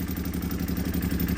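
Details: Can-Am X3 after swapping from a Garrett 43mm turbo with MoTeC standalone ECU to an FP Green turbo on the stock setup: lumpy, uneven idle with missing pulses, running on only two of three cylinders; fuel pressure low at about 50. Misfire, cause unconfirmed.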